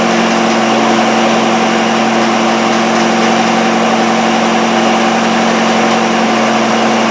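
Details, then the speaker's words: Miller Wildcat 350D diesel engine welder, an auction buy bought non-running, now running on its old tank of diesel (about 3/4 full). A steady, even drone with constant pitch and no knocks or misses. "It was probably 3/4 full of older stuff, but it seems to be running okay. So, we're just going to let it run and get rid of that. But the engine seems to run beauty."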